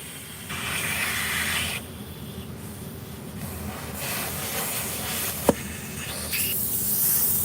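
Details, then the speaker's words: Tire valve leaking air: a steady airy hiss comes and goes with no engine running; the tire will keep leaking and the valve part likely needs replacing, to be removed from the inside with pliers. "We gotta fix that, guys. Tire's definitely gonna leak. Might have to put a new one on. Might need a new one."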